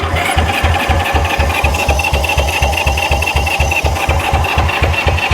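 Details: Honda CB77 Superhawk 305 twin, stored for years in a container, cranking with starting fluid: starter churns about four even beats a second, never catches.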